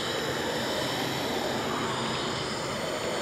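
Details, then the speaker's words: Brute air compressor after run-up, motor off: steady, even high-pitched hiss as air keeps escaping past the unloader valve even after the check valve was replaced; leak persists. "certainly hear it leak. So, I guess we'll swap in the other one and try it again."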